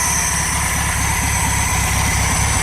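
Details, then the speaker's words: VW Super Beetle air-cooled engine on its first run after installation, with straight 30-weight oil, no fan belt and the choke having kicked off, idling evenly on all cylinders with no misses; normal idle. "actually running pretty damn good I got lucky on that I figured for sure I was gonna have to do a bunch of adjustments"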